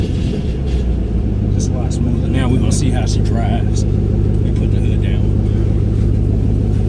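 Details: 2008 Ford Mustang GT (S197 V8), dealer reported 5 bad coils causing misfire, after installing MSD Blaster coil-on-plug set, driving: deep even engine rumble with no stumble or skipped beats; running smoother.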